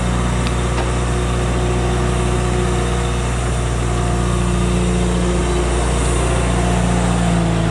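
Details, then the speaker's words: Dodge Travco motorhome generator on propane, with moisture in a tank left open for months: after the water spray on the regulator stops, the steady drone wavers and roughens as moisture freezes in the regulator. "Okay. The generator just stopped. It's been probably less than 2 minutes since we took the water off of it. Moisture inside of the LP system freezes as it goes through that regulator."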